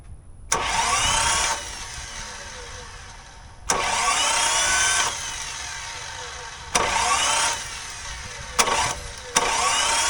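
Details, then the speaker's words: 1984 Toyota Land Cruiser FJ60, long-stored rusty truck, coil unplugged, first crank attempt: four short starter bursts about a second each, no firing, no clear compression rhythm; engine seems barely turning over, owner unsure it cranked. "I don't know if we can count that as a crank. Is it actually turning the engine over?"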